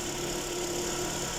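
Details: 2019 Chevrolet Spark during sensor communication diagnosis (code 84, P16A1, misfire and check engine light complaint): smooth, steady idle hum with even tone, no stumble or skipping; engine idles cleanly.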